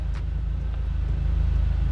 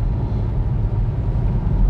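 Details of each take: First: Mk1 SEAT Leon Cupra R with the engine light on: a lumpy idle with an uneven low beat and the odd stumble. Code P0302, cylinder two misfire; the ignition coil is the likely cause. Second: Mk1 SEAT Leon Cupra R at full throttle after an ignition coil fix for a misfire: a deep, even roar with no stumble, surge, popping or judder. It pulls smoothly, the repair a success despite a damaged coil connector.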